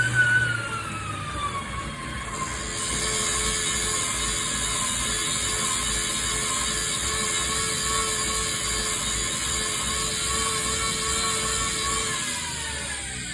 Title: Tacx Flow Grinding Noise